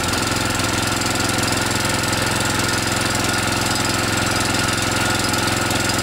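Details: DR TR1 walk-behind trimmer, Kawasaki FC150V 6.75 hp, test run after cleaning the carburetor that had gummed up in storage: a fast, even single-cylinder beat with no stumbles or surging, so it now runs healthy.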